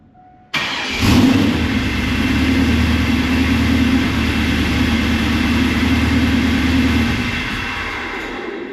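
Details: WS6 Trans Am started after five years, new catback exhaust and new tune loaded: catches and runs lumpy and breathy about 8–9 seconds then dies, later only 2 seconds at a time; cause unknown.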